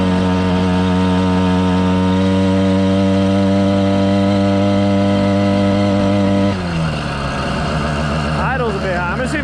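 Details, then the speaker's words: 110cc two-stroke motorized bike kit, heavily loaded with a bag on the rack: a steady buzz that sags and turns ragged and flaring under load instead of pulling cleanly. The clutch is slipping for the first time. "That sounds promising. Whoa, hello. It never slipped the clutch before."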